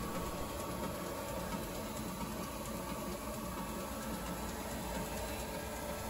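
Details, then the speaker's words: 1945 Brown & Sharpe surface grinder spindle on VFD, started with no load at about half speed (~30 Hz) to warm up before rising to 50 Hz: steady, even hum with faint light tick; spindle running smoothly. "because i'm running the vfd i'm able to start it off about half as normal running speed and i'll let it warm up for three or four minutes"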